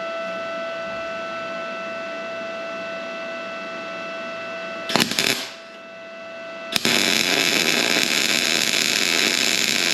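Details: Arccaptain MIG 250 welder straight out of the box on its own synergic settings, on surface-rust-cleaned plates: after a short pause the arc strikes into a steady, even crackling hiss with no popping or sputter; normal MIG weld.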